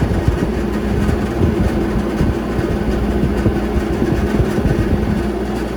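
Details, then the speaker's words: Refrigeration unit evaporator checked on service call, system well charged: steady hum with a rough, uneven whirr from one fan motor among the others; worn, noisy evaporator fan motor needing replacement. "we know we got one noisy bat fan motor in here and we're definitely well on charge"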